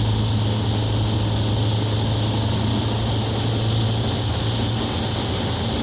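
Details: Onex with turbocharged Aerovee engine in flight, running with the intake hose fallen off its compression fitting, a big intake leak blowing out fuel-air mixture. Steady, even drone, no misses, pops or surging; engine pulls smoothly and sounds healthy.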